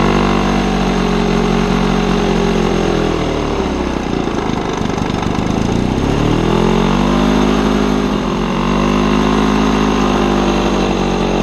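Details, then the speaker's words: Old Lawn-Boy two-stroke mower on mixed gas with the air filter missing: ragged, uneven running, speed sagging and surging every few seconds; very rough with RPM hunting, cause not pinned down. "it runs very rough it switches RPMs quite frequently but everything mechanically works"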